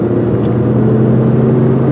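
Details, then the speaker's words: 2004 Saturn Ion 2 sedan, 2.2 L four-cylinder, automatic, test drive: even engine drone accelerating well with smooth shifts, no flare or clunk; normal acceleration and shifting. "And as you can see, even with the 4-cylinder engine, she gets up to speed really good. Oh, shifts nice and smooth too."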